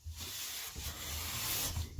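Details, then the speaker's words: Clifton No. 5½ hand plane with a fresh blade set parallel and the sole waxed: long, even rasping strokes with a clean steady hiss and no chatter or skipping, cutting at the blade centre. A smooth, normal cut. "oh yeah see center right at the center blade uh nice fresh always a fresh blade does the job"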